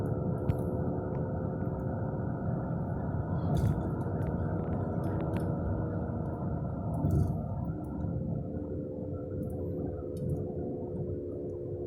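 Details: Car driving at 20–30 mph: steady low roar with a droning hum seeming to come from underneath; worn left-front wheel bearing, no tire wear or play, fixed by replacing the hub assembly.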